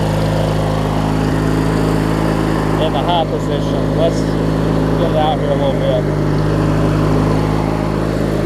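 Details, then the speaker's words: Craftsman LT1000 riding mower with a swapped-in opposed-twin engine, blades engaged and deck strapped: even, steady drone with no knocks or squeals. Normal running under deck load; the owner suspects belt wear from pulley misalignment. "I've got this strap on it that way I can run it with the blades on and just kind of look at it while it's running to see"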